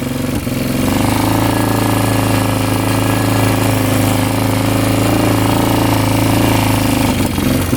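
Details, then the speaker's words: 1998 Yamaha Grizzly 600 ATV at full throttle, single-cylinder drone that never exceeds about 10–12 mph, then backfiring and stalling; valves audibly ticking, previous owner went through the carb and jets; cause unknown. "Oh boy. Backfiring. That doesn't sound good. And just stalled out. Yeah, it is not running right at all."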